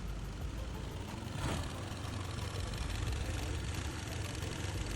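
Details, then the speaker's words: ADV scooter, owner suspected timing chain: started with all CVT parts removed, a low even idle with a rough rapid clatter underneath; remaining internal engine noise, cause not yet pinned down; engine to be pulled out for inspection. "Jadi inilah bunyi sebenar yang kita nak cari daripada bahagian enjin. Bahagian CVT kita dah jumpa punca."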